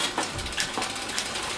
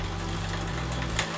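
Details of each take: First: Road bike rear derailleur after winding on cable tension: freewheel ticking with a few sharp clicks and no chatter or rubbing. Clean single shift once it goes quiet; further winding would bring noise back. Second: Road bike rear derailleur, one click of the shift lever: chain chatters and ticks against the next sprocket while pedalling but won't climb. Too much slack in the shift cable; fix is adding tension with the barrel adjuster.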